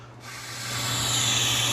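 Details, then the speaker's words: Rolls-Royce (Shadow/Wraith/Corniche) 12V normally open fuel vacuum solenoid, unpowered: a steady, clean airy hiss of air flowing straight through, which is normal for this valve. "Now this one here is normally open. This means that the vacuum is running straight through there with no electricity on"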